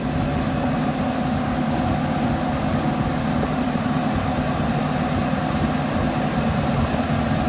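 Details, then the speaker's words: M151A2 Mutt on a road drive after greasing the propeller-shaft U-joints, done because the owner suspected they caused earlier vibration: steady, even drive rumble with no clunks or rhythmic vibration. The driveline is much quieter and runs smoothly. "Much quieter. It's gonna be all right."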